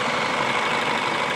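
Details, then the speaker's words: 2008 Ford Fusion with a P0757 stuck "B" solenoid transmission code, hood open: short stretch of smooth, even idle with a soft, steady hum and no knocks or ticks; the owner calls it a good-sounding engine. Normal idle. "a good sounding engine I mean listen to it I don't think the camera does it just this probably sounds a little loud on the camera but it's very quiet to me a little bit of the lifter tick when you first"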